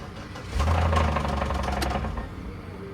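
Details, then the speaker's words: Auction parts car (177 on it) cranked on jump box: engine briefly catches with heavy uneven knocking about four a second deep in block, with oil present; suspected rod knock, blown motor. "it sounds like a rod knock let me see hey what is that does it got oil in it it does i'm gonna crank it see if that's i'm pretty sure that's uh the motor knocking"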